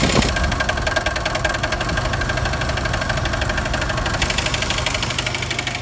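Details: 1999 Jeep Wrangler TJ, warmed up after Lucas oil treatment: fast regular ticking knock over steady idle at engine front, quiet when cold; owner suspects timing chain slap, not bottom end or rockers.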